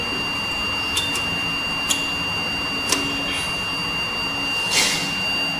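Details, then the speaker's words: eMachines ET1861 desktop gives a thin, unbroken high beep the whole time and won't do anything; the RAM had shifted slightly out of its slot. "มีเสียงตีดยาวนะครับในกรณีไม่มีแรมมันจะเสียงตียาวอย่างนี้หรือใส่แรมไปแล้วหรือใส่แรมเข้าไปแล้วแต่ใส่ไม่แน่นมันก็จะเกิดอาการนี้ได้"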